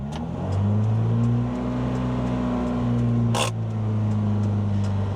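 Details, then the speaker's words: Nissan Sunny truck with a rebuilt A15 engine, about an hour into a roughly 2-hour cam run-in. After a throttle stab the revs linger raised instead of dropping promptly: throttle hanging up on something, slow return to idle, cause unknown. "Give it a stab and it buttons back off. I don't know why at this stage of the game. It's hanging up on something."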